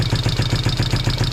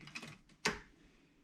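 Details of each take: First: 1973 Honda CB350 twin, first start after 18 years sitting outside, with valves and timing adjusted: an even, steady idle putter of about seven pulses a second with no ticks or misses; it sounds healthy. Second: 1973 Honda CB350 after 18 years sitting outside, valves and timing adjusted, cranked with spark plug left out: a few clicks then uneven churn on the starter that never catches.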